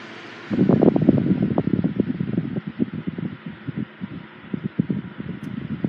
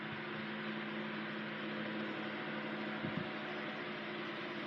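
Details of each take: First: 1980s Sanyo 9-inch oscillating fan EF709R, serviced and oiled, on high speed: steady blade rush with uneven buzzy rattle about four per second; not the motor, vibration resonating through the base. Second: 1980s Sanyo 9-inch oscillating fan EF709R oscillating, oscillator freshly greased and motor freshly oiled: steady even low motor hum with soft airflow hiss, no clicks or grinding while swinging; normal healthy operation.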